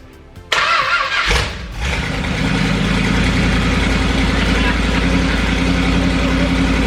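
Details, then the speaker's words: 440 big block pulled from a motorhome, run with short straight pipes before going into a 1970 Plymouth Duster: starter whirs briefly, catches at once, settles into a loud, steady, even idle with good oil pressure; healthy. "I can fire it right up look at that it even idles"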